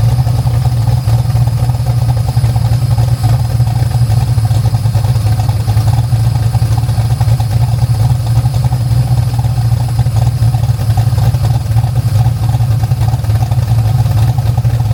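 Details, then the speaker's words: 1974 DeTomaso Pantera GTS, 427ci Ford Racing small-block V8 with MSD EFI, heard from inside the car at idle: steady, even low lope with no belt squeal after corrections; normal idle. "All right, so we're inside the Pantera now. You can hear there's no belt squeal."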